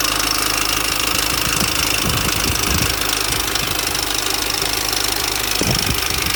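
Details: 2004 Mini Cooper S R53 facelift, 109k: constant tinny metallic clatter over idle, about four uneven rattles a second; established timing chain noise, owner suspects chain jumped and front guide possibly broken.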